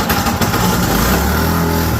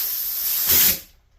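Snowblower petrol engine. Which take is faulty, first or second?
first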